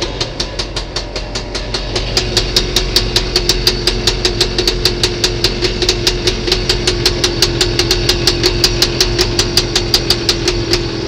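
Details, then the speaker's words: Scootacar (small microcar engine) with a freshly repaired, modified and very loud exhaust, just restarted after a battery swap: sharp raw exhaust pops four to five a second at a slightly uneven idle; oil pouring out, owner plans to tighten fittings. "as you know I've put that uh modified exhaust louder than ever so I think it'll be a case of having to tighten a few things up"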